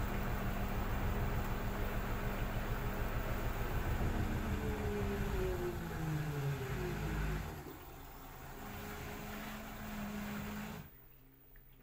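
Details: LG F4R3VYW3WE washing machine on a Sensitive 30° programme, normal spin-up: steady low drum rumble with motor tones sweeping upward as the spin builds; smooth, even and well balanced.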